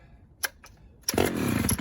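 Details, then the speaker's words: Homelite chainsaw, unrun except for a new pull cord: a few sharp pops on full choke, then it catches and runs at a steady, busy rate, a little rich at idle on half choke. A healthy normal start. "oh that sounded good push the choke in well half choke a little rich on idle"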